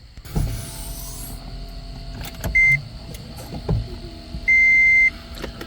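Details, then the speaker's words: 2012 Toyota Prius with C1391 code, first power-on after brake actuator replacement with battery reconnected; short electric whir of the ABS/actuator pump under the dash between warning chimes; warning lights still on. "I can hear that ABS pump running. We've still got all the same warning lights."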